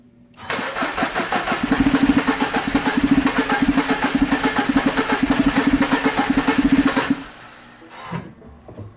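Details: Mini Cooper Countryman, crank-no-start: the starter spins the engine at a steady even beat, about five a second, but it never catches. Relays, cam sensor and spark were ruled out and the owner suspected fuel, but the timing chain had jumped a cog, likely from oil starvation.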